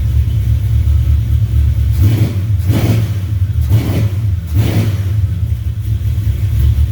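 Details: 1970 Duster 340 V8, started a little cold after new pushrods and intake gaskets replaced short pushrods that had caused ticking or knocking. Steady idle with light throttle blips and no valvetrain ticking or knocking; normal idle.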